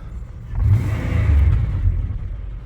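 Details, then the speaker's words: Used Buick, 195,000 km: deep even rumble rising smoothly with revs and settling back, no knocks or rattles; engine sounds healthy. "well, yeah, it's not bad at all. Not too bad."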